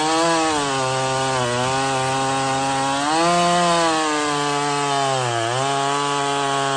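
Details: Stihl 024 chainsaw after carb tuning and makeshift aftermarket air filter, cutting firewood; crisp high-revving two-stroke wail sags briefly as chain bites and recovers, no misses; sounds good up high, not missing much; healthy under cutting load.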